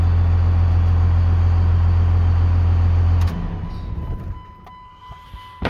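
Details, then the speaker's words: 1998 Dodge Ram 5.9L 24-valve Cummins VP44, warm, after rebuilt ECM fixed a crank-no-start: deep, steady diesel idle with even beat, no misses or knocks, then shut down; no check engine light or codes. "so now this thing is uh cranking and starting no check engine light even when I very first fired it up"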